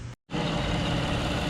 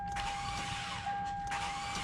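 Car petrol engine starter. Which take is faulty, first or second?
second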